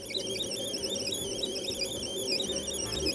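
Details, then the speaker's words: Sharp PC-1251 CE-125 tape deck with a drive belt that is too big and thick and is suspected of catching on the side (head clean): warbling data tones waver unevenly over a low rumble during load/save; thinner 1 mm belts were ordered. "The belt that I had for the tape deck was a bit big. Uh it was a bit thick and I think it's catching on the side. So, the tape deck is not sounding pretty good when uh trying to load or save anything."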